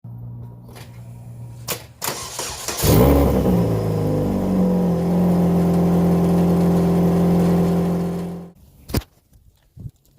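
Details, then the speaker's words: Saturn Ion Redline turbo, engine started with downpipe gasket removed (joint found wide open): loud raspy idle with puffing edge, exhaust leak at downpipe gasket. "all right so why don't i replace that gasket real quick maybe I got something in my thing and then we'll put it back together and we'll see what it sounds like let's hear first with the gasket out"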